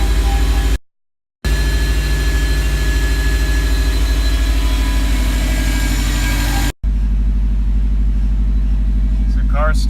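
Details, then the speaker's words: 2011 Subaru WRX at idle after fixing a cylinder 1 misfire, no codes, warming up: steady even low idle with smooth regular beat, no stumbles; running cleanly, though it still feels like dying when stopping. "well we have officially fixed the cylinder one misfire cars running pretty good it still feels like it wants to die when I come to a stop"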